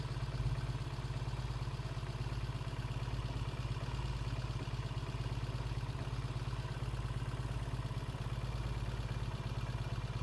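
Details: 1968 Triumph T100C twin idling after a cold start: low, even putter with steady beat and light top-end clatter, no misses or knocks; healthy idle, good oil flow, no leaks, charging okay.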